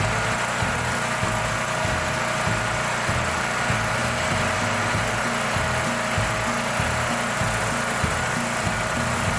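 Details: Brand-new Champion EFI generator that customer reported wouldn't start; fuel smells of diesel or kerosene, suspected poured in then drained. Small engine holds a steady drone under background music, no stumbling or surging; running fine.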